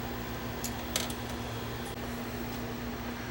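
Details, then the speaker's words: JVC SR-W7 W-VHS VCR bought used, bent arm over drum motor: steady low hum with faint scratchy ticks throughout, from the drum ground electrode worn down to nothing. Bearing damage suspected. "I wonder if if something has damaged the bearing on here. That noise you hear is coming from this the ground"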